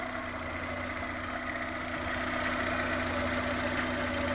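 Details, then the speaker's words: Suzuki Jimny with swapped-in Vitara 1.6 16v engine on its first start, oil having entered a cylinder when a plug was out, radiator not yet fitted: quiet idle with slightly uneven stumbling beat, some smoke; slight misfire, owner suspects the oil. "oh it sounds really quiet a slight misfire that's probably the oil"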